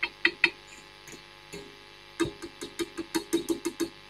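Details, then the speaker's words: Marshall Kerry King Signature valve amp, tapping preamp valves with a chopstick: sharp knocks ring through the speaker over a faint hum. Three preamp valves are microphonic; fix is selected low-noise valves, starting with V1 swapped for a 7025. "that one's microphonic that one's microphonic and that one's microphonic so we've got three very very noisy preamp valves"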